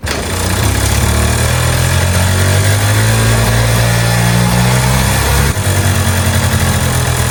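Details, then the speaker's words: 1987 Yamaha Mint 50cc two-stroke scooter, one owner, 2,800 km, sat 20 years, after fuel system and oil tank cleaning, new exhaust gaskets and fresh two-stroke fuel: starts first kick, steady crisp even idle, no misfires or knocks; runs properly. "as you can hear she runs properly this engine is still light new I mean 2,800 km"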